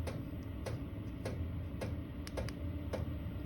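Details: Chinese diesel air heater in a snowmobile trailer, in automatic mode with a remote-set temperature: a soft fan hum with a dry fuel-pump tick about every half second as it ramps up; normal.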